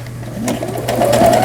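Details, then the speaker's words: Repaired Brother CS100 computerized sewing machine sewing pattern 7, triangular zigzag stitch; fast even needle chatter rising smoothly over low motor hum, no catching or knocking — normal zigzag stitching after repair. "삼각형 모양의 지그재그 바느질, 8번에 옷감이 풀리지 말도록 해주는 오버록 스티치가 되겠습니다."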